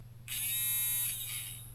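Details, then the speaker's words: 2015 Range Rover L405 driver door lock actuator motor, sealed module opened and run on the bench: short crisp high-pitched whir that starts and stops cleanly; the motor sounds good with plenty of torque, so the fault lies elsewhere, maybe the contacts. "so it makes sense to investigate something like this in detail the motor sounds"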